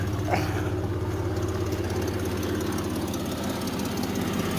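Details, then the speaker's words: Cheap parts-machine vehicle just revived, at idle: a faint, uneven tick over the engine note from a small exhaust manifold leak, because all the manifold bolts were broken; a vacuum leak is also heard. "little exhaust leak but i know why that is somebody broke all the manifold bolts"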